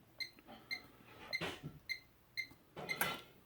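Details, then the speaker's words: New Liberty Safe electronic lock that beeped continuously, after fitting a new Duracell battery: six short clear key-press beeps, then a mechanical clunk as the lock releases normally; cause was the battery. "there we go it was the battery"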